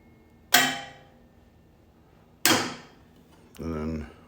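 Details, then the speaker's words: T58 turbine start stand, 24 V batteries with 12 V control: both start solenoids engage, then two sharp clunks about two seconds apart as they drop out, then brief hum as it resets; normal solenoid drop-out. "you'll hear them both clunk when I flip the switch and then in 3 seconds you'll hear the mark n solenoid drop off and then when I let go of the switch you'll hear the other ones showed off"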